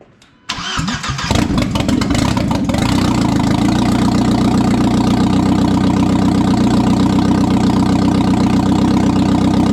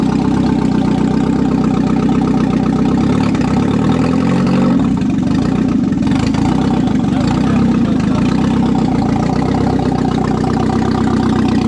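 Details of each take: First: 1997 Audi A4 B5 turbo on first start after an engine install, with no exhaust fitted yet: cranks, then a loud, slightly uneven open-exhaust idle. The owner thinks it is probably running very rich; codes are to be cleared. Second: 1997 Audi A4 (B5) on first startup after an engine install: even, steady idle with a deep open-exhaust drone and one brief throttle blip. It idles smoothly, though the owner noted it didn't like to accelerate.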